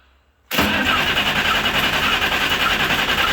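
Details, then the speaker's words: Friend's 350 engine with fuel plumbed and primed, wiring stripped to ignition, solenoid and pump: starter cranks steadily with occasional irregular pops as it begins firing, some coal rolling. "once we hear it start to pop once or twice i'll turn the camera on so that's what you guys are gonna miss okay we got some coal rolling and a couple of pops"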